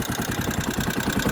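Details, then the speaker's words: Kawasaki Rouser 135 that suddenly died, running after being revived: fast, loud, clattery idle with sharp even pulses, noisier than it should be; a cracked manifold was spotted, noisy idle. "kasi hindi ako Ano Hindi ako masaya sa tunog tapos May napansin ako Dito Ayan Yung manifold ano na crack na"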